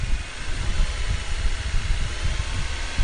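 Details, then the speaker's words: 2001 Nissan Almera N16 1.5 QG15DE petrol after coolant change, revving to draw coolant from the topped-up expansion tank: low note rising and falling in short lumpy blips, no knocks or rattles; normal revving. "what am I doing here is just revving the engine and I was just seen if any of that sir coolant and now it's being drawn into the engine itself"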